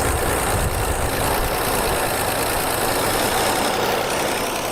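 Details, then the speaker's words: 1976 AMC Pacer, likely original engine, first start in about 20 years: steady, fairly fast idle with an even roar and no clear knock; the idle is too high, with ignition timing suspected to be slightly off. "yeah i want to see if it'll go in gear but i wish we could get it to idle down a little bit"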